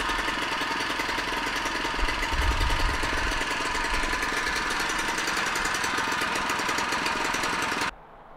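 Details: Harbor Freight small single-cylinder engine on an experimental cold-burning fuel, choke fully out: fires up and settles into a quick, steady putter with even beats and no misses; running fine.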